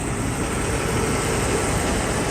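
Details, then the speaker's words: 1994 Mercedes S420 V8 cold-start idle after misfire repairs: smooth, low, steady idle with slight cold unevenness and no knocks or ticks. A valve blowing by may still set a check engine light. Engine running well. "again this is cold start so there will be a little bit of a rocket on the engine plus you know all these little things obviously influence the overall engine running but"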